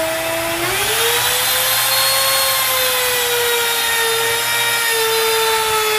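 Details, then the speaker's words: Grizzly T27139 quarter-inch trim router, about 4 months old, with a brand new bit at full speed in scrap hardwood: whine climbs on spin-up, then holds even and smooth through the cut; normal operation. "okay so this is this little piece of hardwood piece of scrap i had um you heard it as long as i turned it up on uh full speed uh cut through it no problem so as far as routing it's going to do fine"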